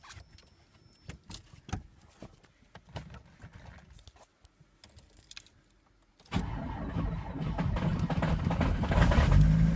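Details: ВАЗ 2104 turbo engine knock: after starting, a fast, fairly even tapping knock over the idle; chain fine, tensioner new, valves adjusted, source unclear.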